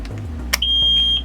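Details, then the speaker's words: 1998 Carver Mariner 350 boat with MerCruiser engines, key turned on with the dash alarm for high temperature and oil pressure: single steady high beep about half a second; normal engine alarm self-test at key-on. "hear that beat you hear that beat okay so that's very important with these with these mercruiser engines"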